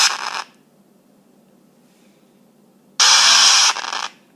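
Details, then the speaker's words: iPhone 5s speaker: two harsh bursts of hissing static, each under a second, heard when typing or receiving texts and playing music; restarting did not help, but a later reset stopped it. "It also happens when I receive texts, or when I play music. I've tried restarting it. Sometimes it just does it randomly."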